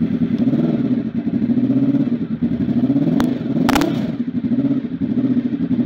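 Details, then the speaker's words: Honda RC24 motorcycle V4 converted to big bang firing order, no timing work done: uneven, lumpy exhaust beat with a rhythmic warble at low revs; big bang firing order warble. "got that that really funny little warble was actually quite light but when you get to about 7000 rpm nothing happens"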